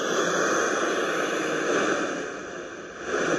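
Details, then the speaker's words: Marantz Superscope CRS-2104 receiver from around 1978–79: loud crackling static swells and fades as the volume knob is worked, from dirty pot contacts after sitting in one position for years; working the knob smooths it. "I think it's just literally been sat in one position for so long it just got a bit scratchy so let's see if we can just smooth that out by purely by doing nothing more than moving the knob"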